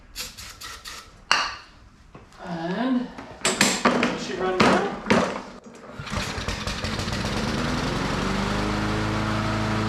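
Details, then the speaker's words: Self-propelled lawn mower (Powersmart 161cc or Craftsman 190cc) after its gummed spark plug was cleaned with a wire brush: clatter, then it fires and settles into a steady, even run; the plug was the cause. "just like that we got a free working mower that's crazy I have actually never come across one that the spark plug was actually the cause of it not running"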